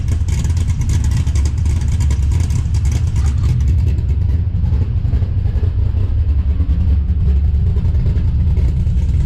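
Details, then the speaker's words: 5.3 LS-swapped S15 minitruck, first start after installing a Summit Pro LS 8704 race camshaft with double valve springs: deep, loud, loping idle with a choppy uneven beat and a little clunk, but it sounds good; choppy performance cam idle. "a little bit of clunk but still pretty good so pretty choppy and personal sounds good"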